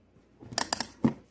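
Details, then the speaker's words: Greenworks electric pressure washer model 1704 that stopped working, with the GFCI plugged in alone and the washer disconnected: sharp snapping pops, about four in half a second, as the GFCI trips repeatedly; it finally holds after about 100 clicks. "You can hear it popping when it's plugged in. Okay, after about a 100 clicks, it finally works."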